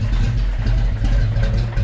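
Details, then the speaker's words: Fox Body Mustang convertible, freshly swapped 306 V8, timing around 12–13 degrees, heard at exhaust: deep lumpy idle sagging unevenly, nearly stalling; needed about 35 degrees to run; failing ignition module. "it's basically about to die essentially it's wanting to die right matt it's going to die out"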